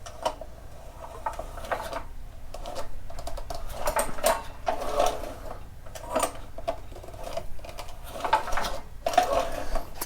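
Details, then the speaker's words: Champion 196 cc generator (4000 peak / 3500 running watts) with an oil leak complaint, engine turned over very slowly by hand after reassembly: even, repeating swishing strokes with no grinding or scraping. Internals turn freely. "i don't hear anything i think it's pretty good to go"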